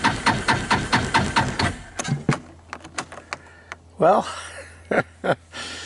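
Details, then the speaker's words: 2014 Linhai Big Horn 400 UTV that died on first outing, carburetor clean, cranked with starting fluid: starter churns in even beat, compression audible, but never catches; owner suspects spark jumping over the side, unconfirmed. "I gave it a who to starting fluid it didn't even try to start you can hear it sounds like it's got compression"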